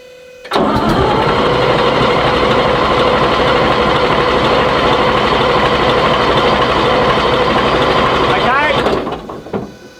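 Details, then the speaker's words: Chieftain tank's Leyland L60 multifuel two-stroke, revived after years sitting, cranked for oil priming with the shutoff solenoid disconnected. About nine seconds of even cranking at roughly three turns a second with no firing, as intended. Governor shows good oil flow; no gauge oil pressure yet. "So, we've got good oil flow from the governor, but I haven't seen any oil pressure yet from the gauge, but the system's all full and primed. And it didn't start, which is good."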